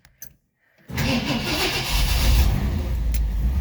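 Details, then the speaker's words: 1959 Ford Fairlane 500 cold start, pedal pumped 3 times, after a starter solenoid that was acting up finally caught: silence, then it catches at once and rises into a steady, smooth idle; a healthy start. "Good. Fired up. Yeah, it fired right up once the solenoid acted right."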